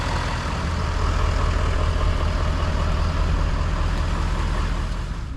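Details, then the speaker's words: Ford F250 truck idling after a starter replacement; deep, steady idle thrum with an even pulse and no knocks, squeals or stumbles, much better than before. Normal idle. "that sounded dang good right there good job my friend that sounded much better better oh yeah a lot better"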